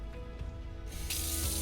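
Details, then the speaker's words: 2025 Coachmen Beyond camper van galley stainless sink with telescopic nozzle: water bursts from the tap and settles into a strong, steady hiss, great water pressure: normal faucet flow. "great water pressure you've got a telescop nozzle telescopic nozzle and you can even do your pots"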